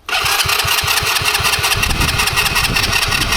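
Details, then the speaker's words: Roadside-found abandoned ATV, first start on a new carburetor that still overflows: catches at once and settles into an even, crisp single-cylinder putter of about six beats a second; a clean, steady idle. "But yeah, 3 to go. Yes, we got a perfect perfect idle. Let's go."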